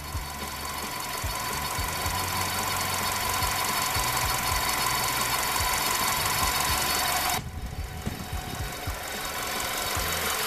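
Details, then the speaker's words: Ford Escape 2.3 Duratec, warm idle after a used cylinder head install: an evenly spaced light knock about four a second over a faint squeal; owner suspects a front accessory, not the internals, but it is unconfirmed. "front accessory again something in there's not happy for whatever I don't give a about the print accessory I can fix that I care about the internals"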